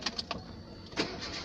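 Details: 2008 Renault Kangoo that would not crank due to a bad ground connection, started with a temporary ground cable from battery to transmission: a few quick cranking beats, then it catches into a steady run; starts cleanly now.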